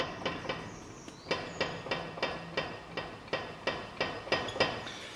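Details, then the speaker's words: Ford Ranger XLT diesel 4x4 with suspension noise: regular light knocks about three a second with a rough edge as the front wheel turns; worn, failing front hub bearing. "olha só que coisa feia hein rolamento a caindo e agora ó"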